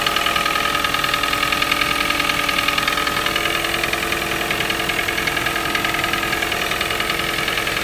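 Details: Toyota 1NZ-FE at cold idle: sharp, regular ticking knock around 207 per minute. The knock appears every cold morning, fades after a few minutes and may rattle slightly when very hot after 2–3 hours of city driving. Cause unknown.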